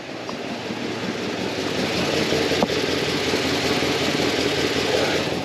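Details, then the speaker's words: OBS Chevy Suburban, after Vortec distributor work, engine running: loud raspy puffing tick with firing from exhaust manifold found loose; bad manifold gasket suspected, headers planned. "so we got to figure out it was this one here was loose the other day when I did that distributor I tightened up one of the things it was actually able to move so I'm thinking the gasket bad in that one"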